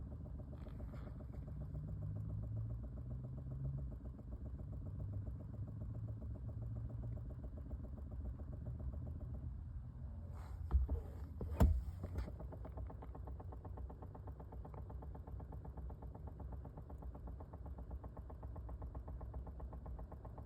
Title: 2020 Chevy Bolt Rapid Clicking Sound